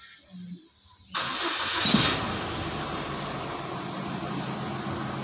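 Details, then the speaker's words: 2012 Mitsubishi Strada Triton Exceed diesel, low mileage, check-engine light on (P2413, EGR) with complaint of a rising temperature gauge: starter catches, then a steady, smooth idle with no knocks or misses; normal start and idle. "Kemudian untuk bagian mesinnya juga suaranya sangat halus Mbak masih halus turnamen ya"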